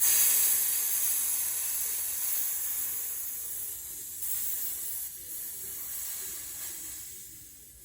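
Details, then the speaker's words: PepperBall VKS launcher's HPA tank and internal air-source adapter. Opening the bleed valve gives a steady high hiss that fades over several seconds as pressure releases: normal air bleed. "So now I'm gonna bleed the valve here. Listen. Here it comes. So you hear it bleeding."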